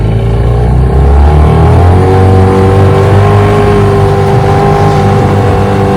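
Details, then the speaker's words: 1996 Johnson 15 hp outboard (J15RED), warmed up, after thermostat replacement, new stop switch handle and cover decals: pulls smoothly on the water, steady even drone rising with throttle, no misfire or knock; runs great. "redid the cover decals everything on it she runs great let's just take it for another little spin"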